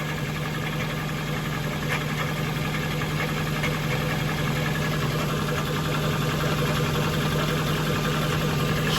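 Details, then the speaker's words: Jaguar XK8 on jack stands, heard from under the car: steady idle with a loose, rapid metallic rattle over the engine drone; owner suspects the transmission, though A/C compressor, power steering pump or idler pulley are also considered. Unconfirmed. "So I'm right under the car now. I think this noise is coming from the transmission. Oh, bollocks."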